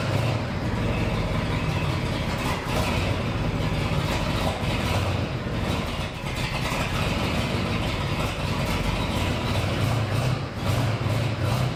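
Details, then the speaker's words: 1969 Ford F100 farm truck V8 with budget turbo setup, idling after a bent pushrod was straightened and refitted and valve covers resealed with RTV: deep, steady, even rumble, firing on all eight, no smoke or leaks seen. "look at that oh man running good sounding good it's not smoking yet check for leaks don't see any leaks yet okay now that it's running at least somewhat decent seems to be idling good hitting on all eight"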